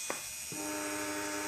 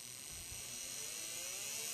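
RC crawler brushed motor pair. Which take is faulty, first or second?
second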